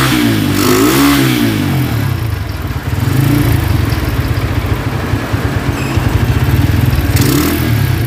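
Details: Honda Tiger single-cylinder motorcycle that smokes when cold and has lost power, started after a wash: rough, uneven clatter and clicking from the cylinder head through the revs; cause found to be loose rocker arms.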